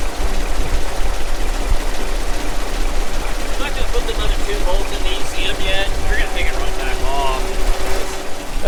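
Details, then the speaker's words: Kenworth T800 log truck, diesel, being warmed up after a breakdown call: deep, steady idle rumble with an even beat and no stumble or dying; running fine so far. "i mean it's running so far so good maybe i'll put that i think"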